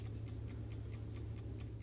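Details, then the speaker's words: Vintage Coca Cola electric clock after cleaning, lubrication and reassembly, rewinding about every eight minutes: crisp even ticks about four per second over low hum, ticking healthy; normal clock ticking. "and it seems to be ticking away quite healthy"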